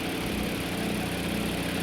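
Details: 2022 Toyota Avalon with multiple misfire codes and check engine/traction lights: uneven, lumpy idle with steady stumble.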